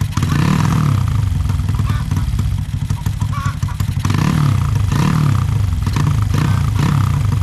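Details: Honda Supra X 125 bored to 200cc with a PWK 32 carb (pilot jet 38, main jet 115, tuned soft for daily use): a deep single-cylinder rumble with short throttle blips that pick up cleanly without stumbling or bogging. Carburetion sounds about right; a smaller pilot jet is being considered.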